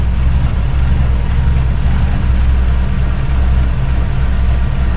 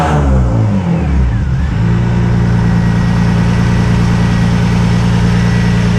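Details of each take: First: Widebody RHD BMW E36 on individual throttle bodies during balancing. Idle is deep and lumpy with an uneven pulse, and one throttle reads way high: the throttle bodies are out of sync. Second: Widebody BMW E36 on individual throttle bodies with an alpha-N retune and no MAF or plenum: sharp blips, then a steady, even idle with no misses. It is slightly smoky but running normally.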